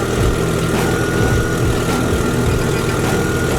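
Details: Jeep after replacing two blown 50 amp alternator power fuses: steady, even idle with a smooth low rumble, no knocks, ticks or whine; engine healthy.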